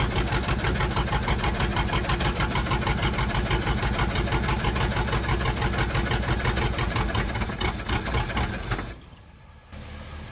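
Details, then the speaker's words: 1962 Dodge 100 engine, first start in 25 years: steady light ticking over idle on one side, suspected rocker arm or pushrod, later found a stuck lifter; no rod knock, little smoke or blow-by. "ise, and it sounds like it's on this side. Like we may have a rocker arm off or a push rod or something. We can pull valve covers later and check it out, but I don't hear any rods knocking or anything."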